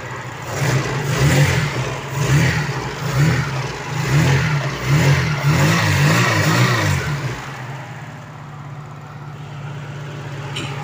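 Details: 1988 Opel Kadett 1300cc, engine sometimes overheats; repeated throttle blips rise and fall cleanly with a deep, even exhaust note and no knocks or rattles, so the engine revs healthily.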